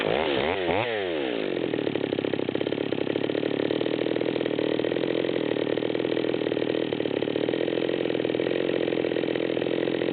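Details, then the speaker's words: Nearly new Stihl MS200T chainsaw with 25-inch bar, high-speed screw backed out to the stop: blips then holds high no-load revs with an uneven blubbering burble, four-stroking at high idle from a rich mixture. "and we can still hear it blubbering at high idle we picked up a few more rpms"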